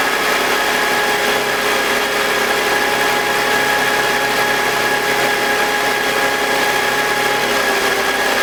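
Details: BMW E46, M52TUB25, VANOS connected: steady run with thin constant whine and rough grinding, not too loud but audible at start; noise vanishes with VANOS disconnected, VANOS suspected. Grinding after startup.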